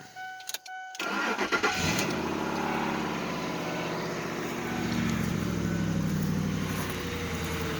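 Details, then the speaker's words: Ford Explorer with a fresh battery, started after a chewed-up belt was found: it catches quickly and settles into a smooth, even idle with no knock or squeal. The engine noise the previous owner reported is gone. "This motor sounds fine. There's no noise in the motor, which when I got this vehicle The guy that had it said, "Hey, this thing's got bad noise in it."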